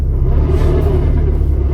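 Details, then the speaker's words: 2019 Skoda Octavia 1.6 TDI 85 kW: low engine rumble with wavering mid-pitched hum in fifth gear, other gears drive fine; gearbox noise in fifth gear, cause unknown. "О такий звук на п'ятій передачі всі решта працюють"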